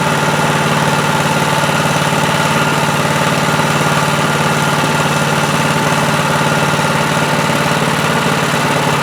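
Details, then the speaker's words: Predator 212cc Honda-clone engine on chipper/shredder, previous no-start and very low oil, started on choke, throttle near high: steady even single-cylinder chug at fast idle, no knocks or misses; normal running. "Yep, it runs. Easy one today, right?"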